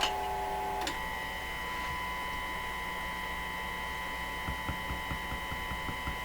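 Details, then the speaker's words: Minerva W119 six-tube radio during IF, RF and oscillator alignment, IF reading correct, volume turned up: steady test tone comes through raspy and buzzy instead of clean, same level throughout; distorted audio, cause not yet found. "Why the terrible distortion? I'm going to tune the radio to another spot here. Yeah, that's better. Okay, now it still sounds just horrendous."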